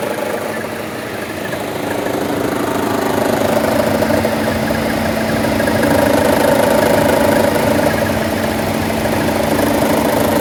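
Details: 2014 Chevrolet Cruze 1.4T petrol, 71k miles, no DTCs, vacuum diaphragm and check valve intact: strong shimmy shake at idle when the AC loads the engine, a steady hum with an uneven pulsing shake about three times a second.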